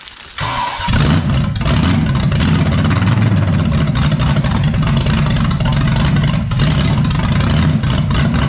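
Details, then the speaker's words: Freshly built 454 big-block Chevy for a 1972 Camaro, warm. It catches and holds a fast, steady idle that won't drop; smoke was seen near cylinder 8. The owner is unsure whether it's too rich or too lean, and someone suggests changing the cam. "Why can't I get this thing to low? What? Is it too rich? Too lean? Too slow? Too fast?"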